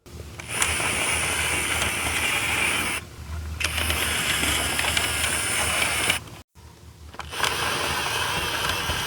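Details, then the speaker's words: Panasonic Lumix FZ82/FZ80, microphone close to the camera: bursts of whirring and buzzing as the zoom runs, then a steady faint hum from the image stabiliser; normal for a working camera. "so I've recently been asked by a subscriber to uh test the zoom on my FZ 82 because um as those of us who are aware it is a quite a noisy zoom on this camera"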